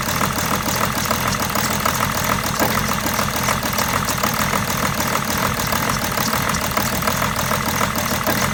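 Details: 2008 BMW 730d E65 diesel after a turbo rebuild for failed oil seals, with new oil, a new air filter and a cleaned intercooler. It starts but idles rough and lumpy with irregular stumbles, then dies after about sixty seconds; cause unknown.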